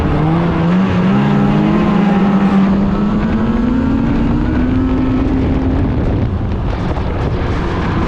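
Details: 2016 Polaris Indy 600 SP two-stroke snowmobile after plugged fuel filter fix and new Ultimax belt, grass dragging without snow: loud wail climbs steadily and holds near top at full throttle, no stumble or bogging, hitting needed rpm; normal pull.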